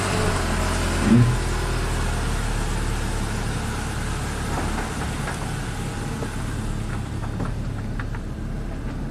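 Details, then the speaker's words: 2008 Subaru Legacy 2.5 SOHC, 164,000 miles, junkyard replacement engine after a cylinder 4 misfire from a compression leak, now repaired and warming up: steady, even idle with a smooth low hum and no stumbles or knocks, normal idle. "all right we'll warm it up make sure the coolant topped off and take it for a spin all right running perfectly smooth"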